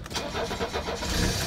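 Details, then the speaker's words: 1983 diesel, 135,000 miles, after AC compressor replacement, started after glow-plug wait: cranks briefly, catches at once, settles into steady clatter without stumbling; clean healthy cold start. "yep listen to that thing 1983 boom starts like an old diesel like it was brand new"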